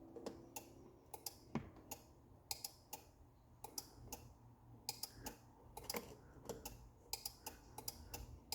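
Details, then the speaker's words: Challenger CH-1000 garage door opener, before repair: sharp dry clicks in irregular bursts with no motor hum; relay pulls in but motor never runs, sliding the white piece or limit switch makes no difference. "you can hear it clicking but it doesn't run now if I slide this white piece over doesn't make a difference"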